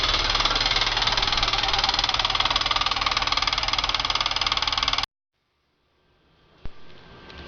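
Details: VW Pointer 1.8 engine idling: a fast, very regular, sharp metallic ticking clatter at about three per second. The customer believed it was internal engine damage, but it was not; the cause may involve the water pump area and is unclear.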